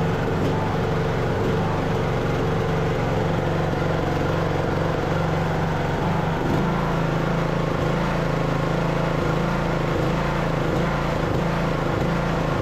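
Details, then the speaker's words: Craftsman LT2000 riding mower, almost 20 years old, with the hood off and run without choke before the carburetor swap: the small engine hunts unevenly, dipping and recovering. This is idle surging blamed on the faulty carburetor. "I did have this running earlier pulled it across the yard it was surging um so we shouldn't need choke but you guys will be able to hear what I'm talking"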